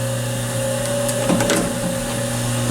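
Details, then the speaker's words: Home or Golden Gate hydraulic elevator, early morning, cold after sitting overnight; steady loud low motor hum with midrange drone, plus a pit device switched on while leveling, suspected sump pump. "to this motor damn this thing has a loud motor"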